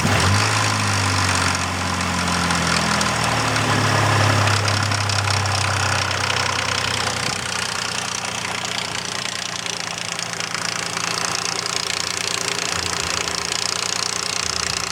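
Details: Nissan Frontier with VQ40 V6 at idle: a steady light ticking at three to four ticks a second over the engine hum, attributed to worn-out timing chain tensioners.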